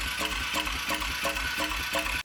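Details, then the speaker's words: Abandoned ATV, cranked on choke after a shot of brake cleaner: steady starter whir with even compression pulses about three a second, never firing; owner suspects no spark, possibly the spark plug. "well that should have at least like made it pick up a little bit so I don't think it has spark which is a big problem"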